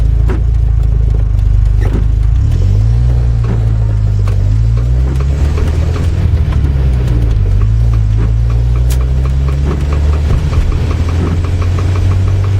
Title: Knocking sound